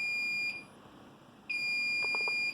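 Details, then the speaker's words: Home server RAID controller (LSI) after a failed drive was replaced, booted before the rebuild was started: a piercing high beep, about half a second on and a second off, repeating to flag the degraded array. "And as you can hear, the alarm is once again going off. But, uh, that makes sense since I have not yet"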